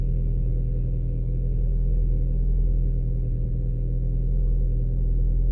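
Muffled low rumble with an uneven, stumbling beat at cold idle, typical of a cylinder misfiring while cold.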